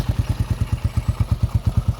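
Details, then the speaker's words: Single-cylinder bike, about 8,500 km, with homemade exhaust, warming up after long disuse: crisp even thumps about nine per second, no misses or clatter; normal idle. "but that engine is out there you want them sounding that is so sweet"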